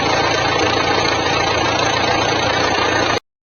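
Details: Jeep Compass 2.0 diesel, also Toro/Renegade, after replacing a belt pulley instead of the alternator (which benched fine): steady even idle clatter, strange noise gone, no whine, squeal or rattle from belt drive.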